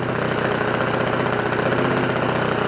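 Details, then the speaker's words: OS FS 91 Surpass 15 cc methanol four-stroke glow engine, crash-repaired with new crankcase cover, carburettor body, ring, bearings, epoxy cold-welded exhaust, first start break-in very rich on what is probably a Graupner 14x7 prop: hard high-rev buzz, steady rapid firing, notable but normal four-stroke vibration. "Il y a pas mal des vibrations. C'est normal. C'est un 4 temps."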